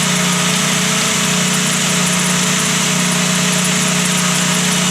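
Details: Volkswagen Gol G2 engine at idle: light, fast tec-tec tick about three a second over the engine, mistaken for piston knock; caused by play in the water pump shaft/bearing.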